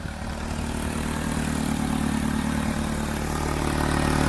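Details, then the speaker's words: 2009 Pontiac G6 with prior timing chain issue, before repair: loud, raspy idle with rough puffing from exhaust leak; two-piece exhaust manifold cracked from collector to collector, manifold replaced. "I very quickly discovered that it had a pretty awful exhaust leak and I suspected it was somewhere in the exhaust manifold area"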